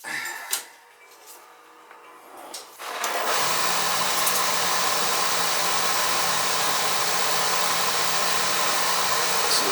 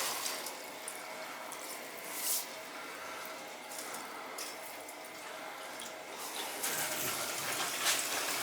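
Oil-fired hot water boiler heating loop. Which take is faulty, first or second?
second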